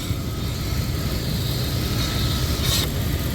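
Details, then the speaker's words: 1999 Dodge Durango SLT, after sitting 14 years, idling unusually low with a new IAC: low steady idle with a faint airy hiss on top from a vacuum leak, something left disconnected that was then refitted. "Yeah, it's acting different, I'll tell you that much. Kinda hear, oh, I hear a vacuum leak, idiot."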